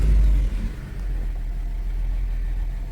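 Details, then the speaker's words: Nissan Altima (2007 or 2008), 232,267 miles, P0171 lean, after cleaning the carbon-fouled throttle body, clearing ECM self-learning values and running idle volume learn. Brief rev, then deep, smooth, steady idle with no stumbles or surging; idling fine. "Let me start the car up. It's idling fine now."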